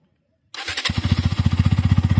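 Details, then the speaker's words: Bajaj Pulsar NS 125 checked for a reported engine noise complaint: engine catches after a brief crank and settles into a quick, even thumping idle with no ticks or knocks; normal idle. "ये देखो इसका normal आवाज है। ये इसका normal आवाज है।"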